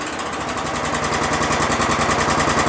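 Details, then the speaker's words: Exmark Lazer Z 60-inch mower, 27hp Kohler twin, started on choke after carburetor flooding work, throttle raised from half: steady sharp knocking about nine beats a second over the engine; a nasty knock, source not pinned down. "i hear a knock i hear a nasty knock in there did you guys hear that knock oh man there's a nasty knock in there"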